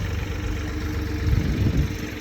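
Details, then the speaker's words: Crashed supercar bought at auction, after it randomly came back to life from an unresponsive mode: low, even engine hum with a steady rumble and no knocks; now fully drivable, starting and shutting off fine. "it was now completely drivable and starting up was no longer an issue it turned off and on just fine"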